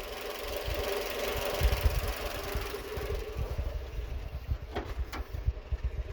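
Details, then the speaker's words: Renault Twingo 2 D4F engine, check-engine light, running on three cylinders, vibrating, power loss, garage claimed bad injector: lumpy, uneven idle with irregular deep thumps; misfire, suspected injector or coil, not just spark plugs. "On a toujours le bruit. Probable aussi un injecteur, parce que le bruit c'est pas normal. Pas juste les bougies."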